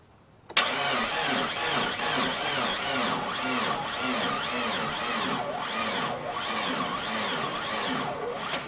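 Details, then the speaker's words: Mitsubishi Galant VR4 after long storage, with the fuel injection fuse pulled so it won't start, cranking in neutral on a 2012 battery that was kept on a trickle charger. The starter drags slowly and unevenly without firing; dead battery. "So that battery doesn't look like it's so good. I think that battery is dead."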